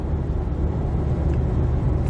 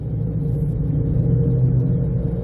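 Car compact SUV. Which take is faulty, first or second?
second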